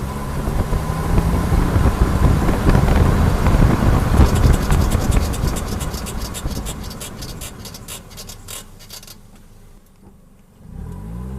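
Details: Suzuki SX4 rolling along with a rhythmic scraping tick, about four per second, from the rear driver's side brake; mechanics reportedly found nothing wrong.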